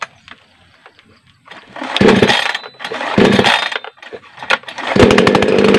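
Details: New Makita mini chainsaw (two-stroke, 2T oil mix) just unboxed and assembled, test-run without cutting wood. It was slow to start and needed choke; it catches, then revs in uneven bursts with a rasping buzz. Normal running.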